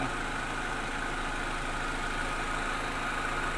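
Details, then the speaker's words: Toyota Soluna (orange turn-signal corner model) with a no-start fault: no power reached the spark plugs, traced to a failed EFI relay. After the relay was replaced the engine starts and settles into a steady, smooth idle with no misses or stumbles. "กำลังจะมีการเปลี่ยนแล้วนะครับก็คุณพยนก็สามารถประกาศติดได้ปกติครับ"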